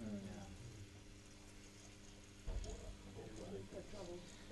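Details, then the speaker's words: Pump on a demonstration rig, transferring liquid between two vessels until suction is starved: a steady motor hum with a rough, gravelly crackle; cavitation, with air bubbles pulled through the pump because NPSH available is below NPSH required. "So we're going to take the liquid out of this vessel and pass it to the other vessel till we get definite cavitation going. Can everybody hear the cavitation?"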